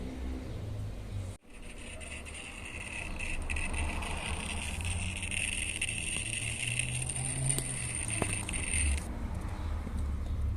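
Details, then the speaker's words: Mabe microwave oven control board, plugged in, gives a steady high-pitched whine; a visibly swollen 470 µF 25 V capacitor on the board is found and replaced. "rofaradios también cuando baja los microfaradios hace este ruido esta tarjeta del horno de microondas Mabe Suele suceder mucho en los Mabe este ruido"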